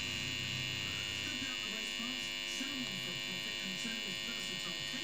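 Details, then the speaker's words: Sony 5-303E TV: a constant thin electrical buzz with a faint hum and no program sound from the speaker. The tuner seems OK; owner suspects the tuner-to-audio connection. Cause not confirmed. "now I did manage to make the sound work and it buzzes I think you can hear the buzzing"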